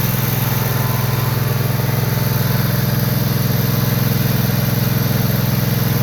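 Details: John Deere Z445 zero-turn mower, 25 hp Kawasaki twin, after wiring repair for a no-charge fault: even, steady putter about three beats a second, no misses or knocks; smooth normal idle.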